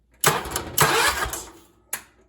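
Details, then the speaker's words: 1979 John Deere 314 garden tractor with Kohler engine, after replacing a burned-up starter: quick strong cranking bursts with a brief catch, starter spins briskly with no grinding or dragging; normal cranking and start, though a blown head gasket was later found. "yeah she sounds good so this is where I'm at with the John Deere now"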